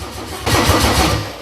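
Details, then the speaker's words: Mercedes OM606 diesel fitted with Ofgear pump control, start attempt in cool weather: starter spins engine steadily but it never fires; fuel not yet primed to injectors. "Kütsi üles pumpama võtta päris kaua, jah? Siit hakkas tõmbama igal juhul juba."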